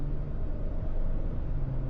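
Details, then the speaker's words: 2023 Hyundai Palisade after replacing the rear differential AWD coupling assembly, test drive at 25 mph and above: smooth, even road rumble with no whine, groan or clunk from the rear; earlier noise from 25 mph is gone, driveline quiet. "I don't hear it anymore. Yep, it's all fixed, guys."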